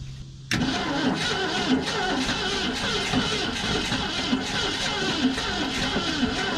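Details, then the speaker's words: Abandoned 1990 Ford F600 box truck, long-sitting, starting fluid sprayed, fuel confirmed; sluggish starter grind, about two compression beats a second, never catching: slow cranking, no start, owner suspects cranking too slow to build compression. "honestly I think she's just not cranking fast enough to head off on some good c"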